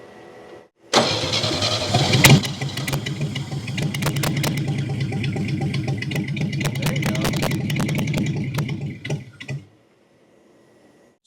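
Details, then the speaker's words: 1969 Chevy half-ton pickup engine, fire-damaged and sitting about 40 years, after restoring spark: catches, runs rough and uneven, then stumbles and stops dead. Fuel starvation through the carburetor (floats full); it keeps running only with the bowl filled via the vent tube or brake clean sprayed in. Carb to be cleaned. "the good news is the engine will run, but the bad news is the engine won't stay running unless we fill the bowl up from the vent tube or I keep spraying brake clean down the yap of the carburetor."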